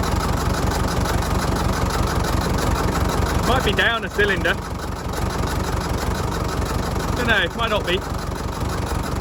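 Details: Fordson Major diesel tractor, running after sitting 20 years, radiator refilled, air intake cap removed: low chug about three beats a second that never settles; uneven idle, possibly from the open intake.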